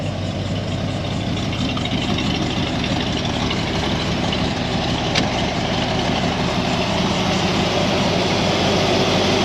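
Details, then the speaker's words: Cobra carbureted V8 idling after a steel-to-flexible AN fuel line conversion, fuel pressure steady at about 8, no leaks, warming up: deep, even lopey rumble without stumbles; fuel system healthy. "she seems happy we'll let her get up to temp and we'll come back so the fuel system is nice and happy everything's running great"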